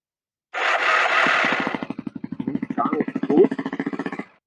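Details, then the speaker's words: Kawasaki KLX 250/300 adventure bike, starter motor just refitted with original casings after failing off-road; rapid metallic clatter about ten hits a second while cranking, harsh and rattly; torque limiter suspected, not confirmed. "Not good at all. Doesn't sound nice."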